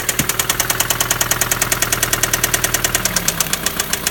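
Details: 2005 Honda Civic petrol engine idling with a sharp, steady metallic knock, roughly seven a second: rod knock.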